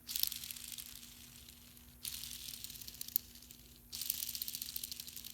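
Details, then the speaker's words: 220S transmission countershaft bearing spun by hand three times: a dry, gritty gravel-like rasp fades as it slows, while the other-side bearing is silent. The worn bearing was about to disintegrate. "Sounds like it's got gravel in it. This is the other bearing on the other side. Nothing. Big difference. So this bearing was about to disintegrate, so it's a good thing we're going into here."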